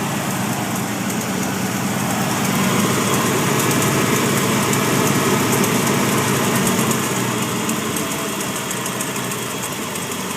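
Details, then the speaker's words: Newly rebuilt 351W V8 in a 1993 Ford Bronco XLT, shorty headers, new exhaust: steady idle with quick, even light tick, three or four a second, loudest behind front passenger tire; exhaust ruled out, owner suspects collapsed lifter, unconfirmed. "You go down here behind the rear or the front passenger tire is where it's loudest. I thought it might have been coming from a Y pipe, so I had it re-welded. But that's not it. I guess it could be a lifter, but I'm not entirely sure."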